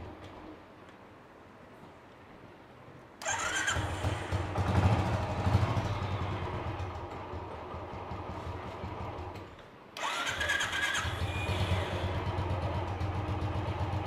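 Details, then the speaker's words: Motorcycle (BS3) after engine rebuild with oil pump fitted, about 216 km: fires up, takes a couple of blips and settles into an even, quiet idle with no ticking or tapping; healthy. Ticking earlier appeared after riding. "शांत है sound कोई कोई आवाज नहीं कोई कुछ नहीं बढ़िया एकदम"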